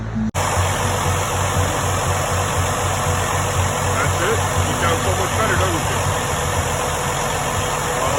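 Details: Freightliner Cascadia DD15 diesel after replacing damaged rocker arm screw buttons that caused loud ticking; idles steady and even with low, smooth pulse and no top-end tick; valvetrain sounds healthy.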